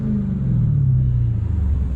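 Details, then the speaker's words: Dodge Challenger Hellcat V8 with mid mufflers deleted, after a shop fixed an exhaust rattle and shake: deep, even rumble with no rattles or buzzing from the pipes; normal exhaust rumble. "she sounds good no more no more rattling no more shaking"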